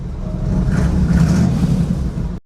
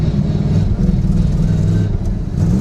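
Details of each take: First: 1963 Chevy Nova 4-door, 283 small-block V8, three on the tree, heard from inside the car after a quick new exhaust with mufflers and a balance tube: deep, even low rumble, no rasp or leak; much quieter, sounds tough. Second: 1963 Chevy Nova, 283 small-block V8, three on the tree, night drive in Wisconsin with new exhaust: revs rise unevenly with a stumbling, choppy note under throttle; it's missing and almost sounds lean, the rear end is unhappy, and carb, accelerator pump or ignition are suspected.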